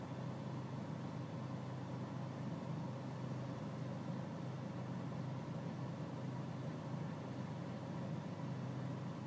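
Low steady diesel idle with a faintly uneven, lumpy beat underneath and no clear knock; rough idle, cause not obvious.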